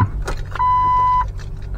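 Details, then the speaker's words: 2003 Jeep Wrangler TJ that won't crank even with a new battery: key turned, only the repeated dash warning chime, no click, whir or cranking; no-crank. "does not want to turn over so today is going to be the day to fix this thing"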